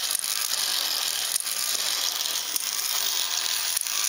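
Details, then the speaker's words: Ornithopter gear train, unoiled and untuned straight off the CNC machine, turning slowly: smooth high gear whir with a sharp click about every 1.2 seconds as the glide locks engage; normal operation. "again that clicking is just the glide walk engaging isn't it in there to come up and then they drop down"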